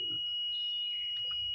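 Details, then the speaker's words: Mobile phone charger repair, fuse tested with a multimeter on continuity: a steady high-pitched beep holds for over a second, showing the fuse is intact (no beep or reading would mean a blown fuse). "यदि आपके किसी fuse में कोई beep या मान मिलता है तो आपका फ्यूज सही है।"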